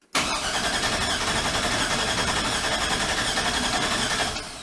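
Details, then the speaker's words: 1965 Chevrolet C-10 LS swap, reassembled after intake manifold gasket and fuel injector replacement: steady starter cranking at nearly four beats a second that never fires. The tank was out of gas. "That's weird. Come on now. Yeah, there's not a whole lot you can screw up. But apparently I did. It's definitely my fault. It's out of gas."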